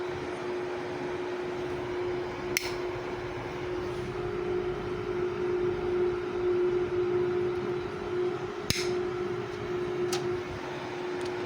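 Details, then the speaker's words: Homemade UPS transformer after tightening its laminations, on mains: only a soft steady fan hum with light clicks, no buzzing; previously very noisy, now quiet. "अभी इसमें बिल्कुल आवाज़ नहीं आ रही है, इस पहले इसमें आवाज़ बहुत ज़्यादा थी।"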